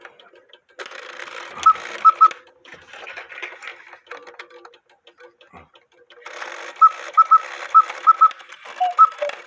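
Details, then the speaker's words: Count-wheel cuckoo quail clock: short high quail chirps in quick bunches over the cuckoo call because the cuckoo bird wire lifts the quail wire caught beneath it. "the cuckoo bird wire lifted the quail wire so that's why I made a chirp while I was cucking"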